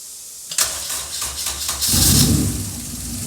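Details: Honda EK Civic hatch with K24A2 swap, RSX Type S 6-speed, sitting about three years, before engine refresh: fuel pump primes, about 1.5 s of quick cranking, catches at once and settles to a smooth steady idle; normal start.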